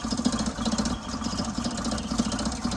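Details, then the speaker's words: 1977 Toyota motorhome just revived after months parked, idling while warming up. Quiet idle with a light, tinny chatter on top from the air filter housing rattling against the engine because its mounting bolt is lost. "Turns out the reason it sounds so bad is I've lost a bolt that connected the air filter to the motor."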